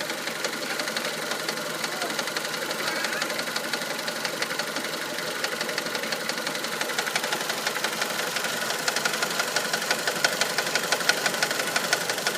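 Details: 1999 Mitsubishi Pajero iO, 4G93 engine, at idle: steady light ticking knock about three per second; owner unsure, suspects the crankshaft pulley, which wobbles noticeably.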